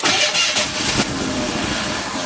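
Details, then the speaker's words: Merkur XR4Ti (US Ford Sierra XR4i) turbo project car that has sat a while, with a bad fuel pump suspected of sediment: fuel is poured into the intake and it cranks briefly, catches and fires into a rough, uneven run. "okay we put a little bit of fuel and then intake the fuel pumps bad"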